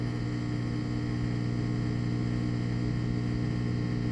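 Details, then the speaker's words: Replacement washing machine drain pump (the old one was jammed and rusted by a wedged safety pin) during drain: an even, steady low hum with no rattle or gurgle, moving the water quickly; running normally. "sounds like it's moving moving the water pretty quick"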